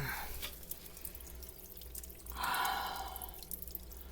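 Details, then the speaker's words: Drain pipe leaking while the washer runs; irregular soft drips and a light trickle in a quiet room, discovered during reassembly of a Mainstays 9-inch fan; plumber needed to fix the pipe. "we got a pipe leaking says what i'm going to do is i'm going to have to call my plumber and got to get that pipe fixed guys"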